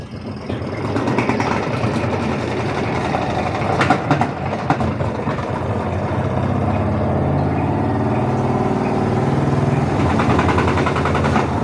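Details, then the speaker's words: Washing machine spin-dryer running with a loud rough rumbling rattle, caused by a problem with a motor suspension spring on the dryer motor mount, possibly broken, letting the motor wobble. "Oke teman-teman jika kalian mendengarkan bunyi bising seperti yang kita dengar tadi itu di mesin yang ada di belakang saya ini berarti itu menandakan salah satu daripada kaki dia punya spring penahan motor berarti itu ada yang bermasalah atau dengan kata lain kemungkinan ada yang patah teman-teman"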